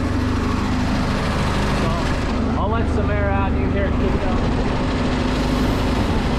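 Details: Homemade gas air compressor with Predator 212 engine and pilot unloader valve: steady low single-cylinder chug with a hiss of air let out midway; engine speed kicks up and down as the unloader cycles, throttle worked by hand for now.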